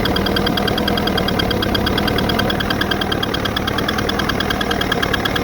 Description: The ticking noise has been since the powerhead was replaced with a remanufactured unit. It now has 10 hours on it and broke in per the remanufacturer's instructions. The noise is not going away but not sure what the cause is.